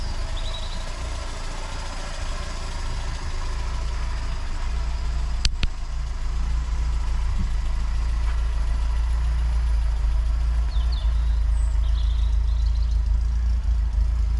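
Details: Austin Allegro 1300 Super with a manual fuel pump, just after a cold start following months of storage and a jump start on a weak battery. A low, steady idle with an even beat and no knocks or misses. Healthy cold idle.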